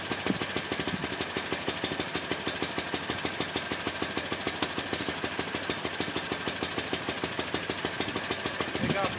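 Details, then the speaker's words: Baja WD250u ATV after carburetor cleaning for bad gas, started on jumper cables and warming up: small single-cylinder putters at an even, quick beat of about three firings a second, steady without misses; healthy idle, it runs. "so there she goes she runs"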